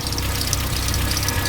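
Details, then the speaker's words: VW AP engine (Gol/Parati/Voyage/Saveiro) idling: persistent chattering tick and light squeak from the belt side; owner first suspected the belt, then found the worn belt tensioner was the cause. "Tá aí o causador do barulho da correia do motor. Tava muito feio. Isso aqui chama tensor da"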